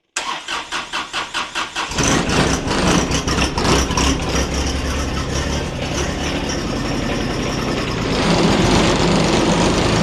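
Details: John Deere 1025R tractor diesel after oil, oil filter, fuel filter and air filter change: about two seconds of steady cranking, then catches into an even smooth idle with no knocks or misses; normal start and idle.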